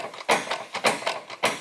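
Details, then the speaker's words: MKIV Toyota Supra with 800 hp+ Collins steel driveshaft and new short shifter, shaft rotated by hand: sharp metallic tap about every half second as the driveshaft hits the hanging shifter linkage; fix planned by grinding it. "thing that's basically it hitting the bottom of that shifter because it kind of hangs down."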